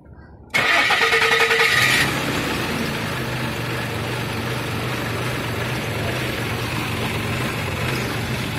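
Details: 2006 Nissan in a no-start diagnosis: the engine cranks briefly, catches, then hunts at an uneven idle. Both sensors are disconnected and stuck at 1.51 V with no change, and the engine is still erratic. Rough idle, cause unconfirmed.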